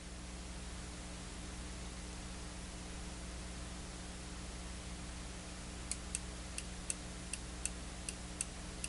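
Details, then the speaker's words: Zotek ZT-703S handheld oscilloscope fed a 40 MHz signal: nine sharp, unevenly spaced input relay clicks over a steady low hum as auto-range hunts and fails to acquire the signal. "and you can hear the relay clicking and definitely we're not able to Auto acquire that signal"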